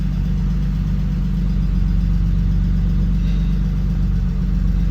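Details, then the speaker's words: 1992 BMW E36 325i, first start after replacing a suspected faulty fuel pump: steady, even low idle with no misses, knocks or hunting; runs smoothly. "actually sounds okay hooray that's great news"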